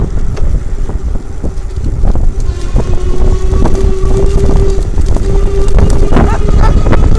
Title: Lectric e-bike screeching noise from motor